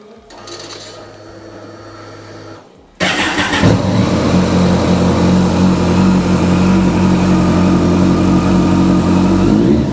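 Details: Kawasaki ZZR1400, 26,399 miles: starter whirr, then four-cylinder catches and settles to smooth even idle with steady pitch; normal startup and idle.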